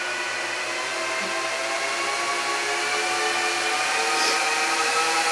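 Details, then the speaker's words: 2006 Apple Xserve A1196 server booting a Snow Leopard disc: loud, steady fan roar with fixed whining tones that never slows; fans stuck at full speed because the replacement heatsinks lack temperature sensor wires. "The fans are not going to shut up because there's no wires for the heat sink temperature."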